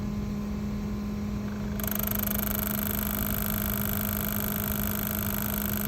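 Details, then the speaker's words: Boost control solenoid driven by a Kaizen relay control module reading vehicle speed over CAN from the OBD2 port, bench demo: steady electrical buzz grows denser as vehicle speed is toggled up and duty cycle increases; normal pulsing. "So as I toggle vehicle speed up, you'll hear the duty cycle of the boost solenoid come on and then increase."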